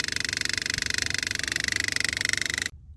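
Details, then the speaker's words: 2004 Buick LeSabre that sat for years: a transfer pump pumps old bad fuel out of the tank with a fast, even buzzing pulse, about sixteen beats a second, labouring then cutting off as its filter plugs up. "That's how it's supposed to sound, but we are officially pumping our bad fuel out of the tank slowly. She's getting plugged up. It was going a lot better a second ago."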